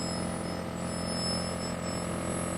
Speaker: And listen to the noise. I mean, that noise is normal. That's the roughing pump that you're hearing. You can also hear the turbo pump's high-pitch sound. That's normal.